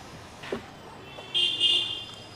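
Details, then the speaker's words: Ola S1X electric scooter, switched off and back on: a couple of faint clicks then a high thin electronic whine for about half a second; owner also reports the scooter stalling while turning on the road and charging problems, cause unclear. "ఇప్పుడు of చేసి on చేద్దాం ఒకసారి గీ అని sound"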